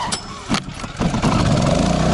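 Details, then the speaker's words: Champion 3400 W dual-fuel inverter generator with hard-start kit: gas on, choke out, a couple of cord pulls, catches right away, then choke pushed in; settles into a steady, even run at high under-load rpm, economy mode off; normal start. "pull the choke out and go ahead and give it a tug and it's not going to be very hard as soon as it starts to run and push the choke in"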